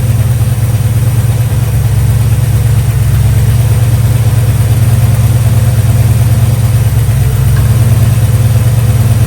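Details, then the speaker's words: 1965 Chevy Nova wagon V8 with a new Holley 450 carburetor, idling with a steady, even low rumble, no misses, not running rich; belt squeals when revved. "idling really smooth, and it doesn't smell rich at all. I like it."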